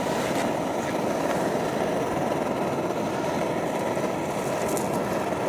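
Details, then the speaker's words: Optimus Hiker+ liquid-fuel stove just lit after alcohol priming, at low flame while warming: steady roaring hiss with the sputtering these burners make, which is normal; burning fine. "You can hear the funny noise, that sputtering noise that these burners make, and that's pretty normal. It makes a sputtering noise, and that's not a problem at all."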